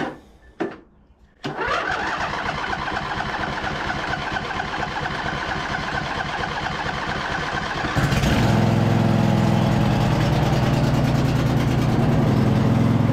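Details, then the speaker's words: 2007 White Outdoors (MTD) CT54 zero-turn with a Briggs twin that sat about 3 years, factory fuel line and top cooling shroud refitted, choke on. It cranks briefly, then runs on its own with an even, steady twin beat, slightly louder and smooth; the owner suspects non-ethanol fuel kept it healthy. "can't believe it's running on its own"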